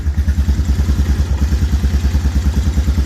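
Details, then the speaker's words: 2000 Honda TRX250 Recon ATV after OEM carburetor replacement and correcting misrouted hoses: low, even single-cylinder idle, quiet, no pinging or knocking; healthy engine. "So fires right up now. Put the fuel on. Nice and quiet. No pinging, no knocking, nothing."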